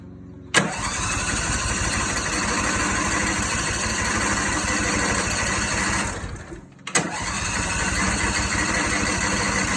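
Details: Garden tractor with a Briggs & Stratton V-Twin 22 hp 656 cc Series 7220 engine: steady rhythmic starter cranking, a pause, then cranking again. It never fires; cranks but won't start.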